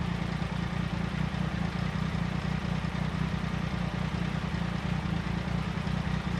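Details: 1999 Triumph Sprint ST 955: steady, deep, even beat with no misses or clatter; normal running.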